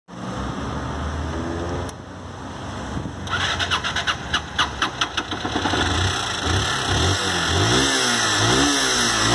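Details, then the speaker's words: Honda Fan 160 motorcycle run about 2,000 km on the same oil, with under 100 ml left: light rapid ticking about two a second while revving, from a worn valve adjuster screw and valve tip; cam chain OK, piston also worn. "aí ele desgastou a cabeça da válvula marcou o parafuso por isso que ela tá fazendo aquele tec tec"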